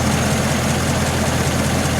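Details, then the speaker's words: 1948 Ford 1-ton pickup flathead V8 after an engine overhaul with new water pump, belts, hoses, carburetor and fuel pump, plus 2-inch dual exhaust. Deep, even burble with a steady beat and no ticks or knocks. Normal idle. "Just running like a dream. Got some nice 2-inch pipe on there."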